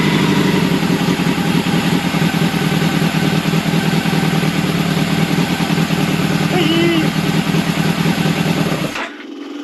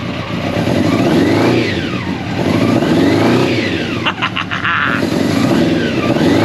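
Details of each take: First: Old Honda CBR600 track bike, started on choke: loose lumpy running that dies as soon as the throttle is opened; carbs to be removed and cleaned. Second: Old Honda CBR600 track bike, free, first start after sitting long, on choke, not yet warm: revs climb and fall smoothly in repeated blips, a bit boggy; runs and revs, normal running.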